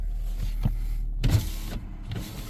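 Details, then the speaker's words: 2017 Toyota Corolla on a pre-purchase inspection, only the driver window auto: short even whirring runs starting and stopping cleanly, no grinding or clicking; power window motors sound good. "it's got Auto windows it's only the driver side's Auto but I like to listen too do I hear anything unusual when the windows going up and down no really sounds good"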